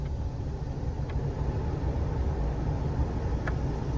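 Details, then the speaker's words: Nissan Xterra after fixing the blinking AC light: blower runs steady on speed 1 with the engine idling, no squeal or rattle, where before it did not blow; normal blower operation. "And there you have it. Now we got AC. switch. And the light doesn't blink anymore. And as you can hear, it's blowing on 1 before it wasn't doing that."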